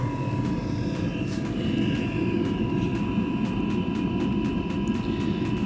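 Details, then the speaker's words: Eberspächer Airtronic D2 diesel heater: pump sound changes as air clears from the fuel line, then a steady even burner roar with constant fan whine, no misfire or surging; heater running normally. "okay well now the pump it's changing its sound it should be that the air is out of the fuel line yeah okay it's getting there"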